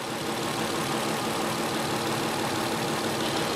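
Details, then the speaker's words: 1993 Infiniti J30, 101,000 miles, idle: uneven lumpy stumble under steady hiss; number six injector has high resistance, weak magnetic field, pintle opens 2.1 ms late, cylinder very lean; number three possibly sticking. "so that cylinder is going to be running very very lean we're going to be getting very minimal fuel into that cylinder"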